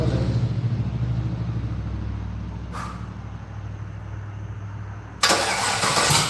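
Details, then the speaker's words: V8 started after fueling: lumpy, uneven rumble that fades steadily before a loud burst of noise; the engine stalls shortly after starting, cause unknown. "all right do we know why it died no"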